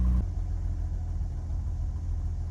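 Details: Cold idle of a 1966 Jaguar XKE Series 1 2+2 just after first start on choke with a little throttle: low, even rumble with steady firing, barely audible, no knocks or ticks. Normal cold idle.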